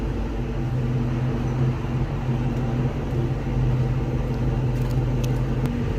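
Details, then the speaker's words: 2000 Ford Mustang GT after a new clutch cable install, recorded from the rear at the owner's homemade hack-job exhaust: deep steady V8 rumble, even low burble, no knocks or rattles; loud but healthy normal idle. "Let me starting it up, because you guys haven't heard the exhaust since I did my hack job on it. It sounds good, but doesn't look good."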